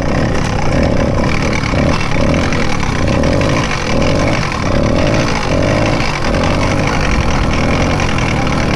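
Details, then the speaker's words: Rebuilt Zeda 80 motorized bike two-stroke just started: loud rough running with harsh grinding and uneven pulsing, louder than before the rebuild; grinding was the reason for rebuild, owner suspects clutch assembly. "so the terrible grinding sound you were hearing once the motor started was the exact reason we rebuilt this motor in the first place but it's louder now than it was before we did the rebuild"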